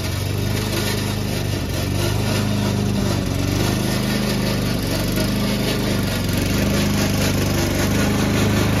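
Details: Old Toro Recycler mower cutting Kentucky bluegrass, binaural recording, before fix: loud steady engine drone with an even clattering racket from the dry drive system; the noise was later solved with WD40.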